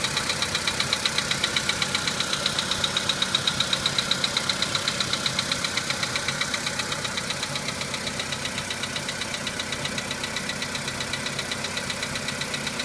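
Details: VW Polo Sedan engine at cold-start idle: crisp, even tick about twice a second over the engine; knock fades as the engine warms up, cause not identified.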